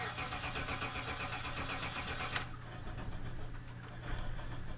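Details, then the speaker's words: Old Buick wagon, wet weather: starter churns steadily a couple of seconds but engine never fires, crank no start; Accel ignition coil replaced with OE GM coil, owner nearly sure the faulty coil was the cause. "crank no fire o she bad"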